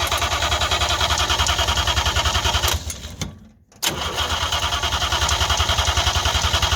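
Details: 1958 DKW pickup truck, front-wheel-drive three-cylinder two-stroke on premix fuel, first start in a long while: steady chugging about three and a half beats a second, brief drop-out, then picks up; cranking but not yet caught.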